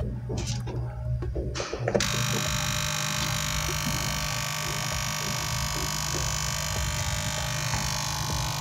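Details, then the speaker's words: DH Discovery DH20 700W home theater, opened up: after handling clicks, a loud steady mains hum and buzz comes from the overheating transformer, with a broken wire found and the diodes heating up a lot. "एक तो हमारा यहाँ wire break है कोई, और यहाँ heat up भी काफ़ी ज़्यादा हो रहा है, और ये साउंड इसके ट्रांसफार्मर से आ रहा है।"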